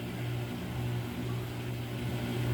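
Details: Samsung washer with 5E drain code, spin-only cycle: steady low hum of the drum spinning with the pump draining smoothly, no rattle or grinding; pump appears healthy.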